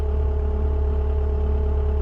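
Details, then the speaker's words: Engine at steady idle with a light, even rattle; it has always been very noisy, and the owner suspects it may be due for a rocker job and valve adjustment; cause unconfirmed. "Remember go down in the comment section if that rattle is they're supposed to make that noise cuz it's always been like very noisy but I might be it might be due a rocker job get the valve set"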